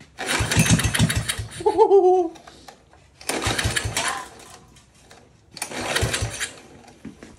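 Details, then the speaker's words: 5hp Tecumseh go-kart engine, pull-cord starting: three separate bursts of quick chuffing, the engine never catching; no start. "turns out we still have a tad bit of water in that gas huh so it's not us Lei told me he cleared out the gas tank I never said such a thing"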